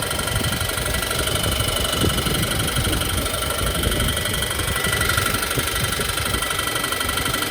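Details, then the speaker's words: 2014 Subaru Forester XT, stock 2.0 turbo FA20 boxer, 130,000 miles: dull knock about four per second, heard only on throttle, from a spun rod bearing; no codes, smoke or overheating, clean oil, still full boost. "only hear it when you push on the gas pedal. No codes. Still making boost."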